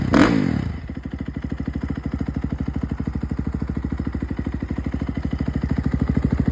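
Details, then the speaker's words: 2011 KTM 350 dirt bike, 40 hours, after replacing a failed stator that caused no spark: kicks over and catches at once, then a steady, even single-cylinder thump at idle; normal start and idle. "So that's probably from top end or something, but yeah, it runs pretty good now."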